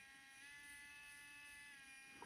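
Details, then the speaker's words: Geeetech SL300 3D pen version 3, heated to about 160–167°C: quiet, thin buzzing whine at one pitch from the small feed motor drawing filament in. This is normal. "Makes a little bit of noise. Well, that of course is the engine. It's taking in the filament, and these are the 2 buttons where we can adjust."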